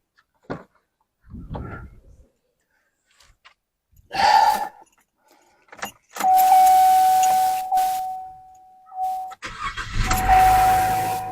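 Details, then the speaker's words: 2015 Chevrolet Trax, after a coil pack change to cure an engine miss and P0300 code, with the engine cover off: key, a short crank, then it catches at once and settles to a quiet, even idle with no misfires. "Fires up all nice and quiet."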